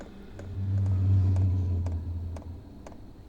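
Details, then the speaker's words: New portable Vevor diesel heater just after first fire-up, before full speed: low steady hum swelling a couple of seconds with a few light clicks; lighting off normally. "Can hear a little hum. I'm anxious to see how loud this is once it's running full."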